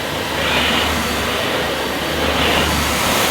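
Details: Dyson Ball Animal Multifloor vacuum on plush deep-pile carpet at an easier setting: steady even motor roar and smooth brush sweep, no labouring or chatter; brush roll turning freely, normal operation.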